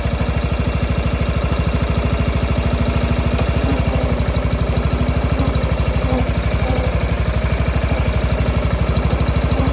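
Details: John Deere 165 Hydro lawn tractor after a new ignition coil fixed sporadic spark: small engine chugging evenly at steady speed with no knocks or misses; runs smooth and healthy.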